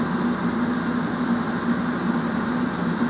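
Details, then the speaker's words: Chinese diesel heater in a garage, just fitted with a 15L fuel tank replacing a leaking 10L tank, connections checked for leaks: steady, smooth blower hum with no surging or rattles; fuel pump running well, normal operation. "the pump's running pretty good so I think we're good to go"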